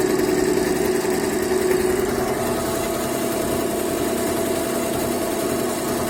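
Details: Yehi embroidery machine running after repair and reassembly; it had constantly shown error E24 and would not stitch when start was pressed, now fixed. Steady mechanical whir with even repeating stitch rhythm, no knocks or grinding; runs smoothly.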